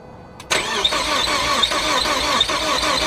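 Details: Ford Focus ST, first start of a new engine built with a Speed Performance pop-n-drop kit, after priming oil with plugs unplugged. Catches after a short crank, then an uneven, lumpy idle with irregular stumbles; sounded grouchy, cause unknown.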